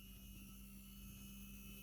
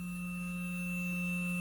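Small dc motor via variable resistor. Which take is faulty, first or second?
first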